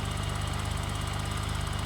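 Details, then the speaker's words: 1985 BMW 635CSi E24 after 12 years sitting, just revived by replacing the crank sensors: steady, even idle with a smooth regular pulse, no misses or knocks. Runs healthy. Normal idle. "wow wow this thing runs runs like a cherry oh dust I'm actually amazed right now at how nice this car runs 10"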